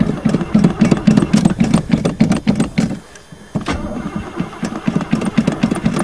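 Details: Chevy with carbureted four-barrel 305, sat about 7-8 months, frozen winter day, throttle pumped: starter chugs about four turns a second with a short pause, but nothing catches; cranks without firing, owner fears the gas was stolen.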